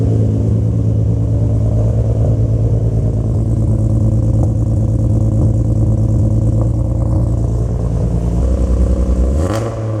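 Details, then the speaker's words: Turbo Barra-swapped R33 Skyline on first start, with no radiator, alternator or drive belt fitted. Loud, even exhaust drone with a clean rev rise and fall, no misses or knocks. The exhaust is louder than expected, so a muffler may be added. "it's louder than I thought it was going to be which uh take it as you will"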